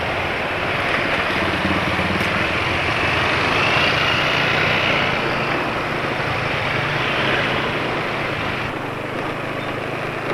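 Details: Suzuki Satria 120R with aftermarket exhaust, Adnoc S3+ oil with additive after about 75 km, Pertamax fuel: loud raspy buzzy note with harsh edge, rpm dropping fast; runs rough, owner blames oil.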